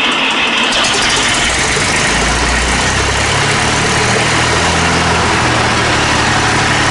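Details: Fordson Super Major diesel tractor with new engine: catches and settles into a steady, even idle clatter with no misses or knocks.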